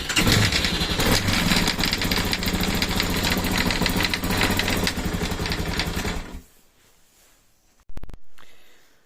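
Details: Yamaha TTR250R at idle, about 1,500 km: steady knock three to four times a second on the right side of the gearbox until shutdown; a part had unscrewed from a bolt inside, since fixed.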